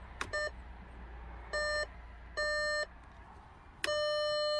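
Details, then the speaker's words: Volkswagen-built Bentley Continental GT 12-cylinder, engine off: steady high beeps in short bursts about a second apart, then one held tone, the lights-on warning chime because the parking light was left on via the high beam/signal stalk. "so apparently the high beam switch is also the parking light switch what silly volkswagen so it's still on is it on"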